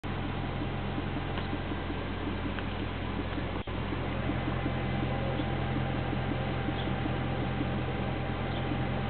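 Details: 2008 BMW M3 at idle: light, faint ticking knock about two to three times a second over the hum, source unclear; dealer says it is normal, owner doubts it.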